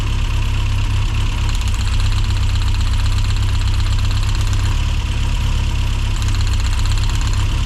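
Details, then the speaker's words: Rover Mini Cooper S Sport 5, over 106,000 miles, after new injectors for a long-standing rough idle: steady low idle turns uneven and lumpy as each plug lead is pulled, a clear RPM drop showing each cylinder is firing. "Right, straight away, number 4, we're getting a definite drop. Number 3, you can hear it misfiring now."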